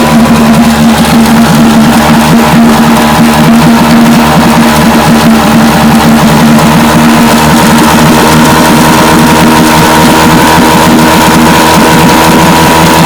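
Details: Vintage Johnson outboard that misfired at high speed, after the pitted brand-new points were replaced. A steady, even drone at constant speed with no dropouts or stumbles; both cylinders firing cleanly.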